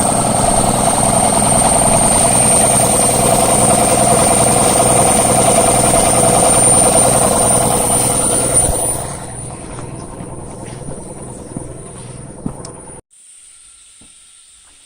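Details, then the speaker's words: Camel Hossfield air compressor, about 20–25 gallon tank, 1 hp twin-cylinder inline pump, after draining water from it; steady even piston chug that cuts out cleanly when the pressure switch shuts off at 100 psi. Normal compressor running. "Alright guys, as you can see, this thing works pretty well."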